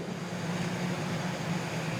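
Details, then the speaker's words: Three-phase squirrel cage induction motor on a trainer kit, delta connection (about 6 A starting, 3 A running), turning clockwise: a smooth, even electrical hum at constant pitch with no knocks, rubbing or grinding. Running normally. "Okay ನೋಡಿ, clock wise ಗಡಿಯಾರ ಹೆಂಗೆ ತಿರುಗುತ್ತೋ ಹಂಗೆ ತಿರುಗ್ತಾ ಇದೆ."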